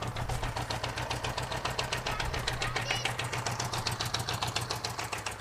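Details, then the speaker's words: 1978 Honda GoldWing GL1000 flat-four on its first start in years, idling on its own with a slightly lumpy, uneven beat after long storage; the carburettors are going to need attention. "it's running it's idling on its own for the first time in years it's actually pretty easy to get it started i mean it just took a little bit i guess for it to get some good gas down in there"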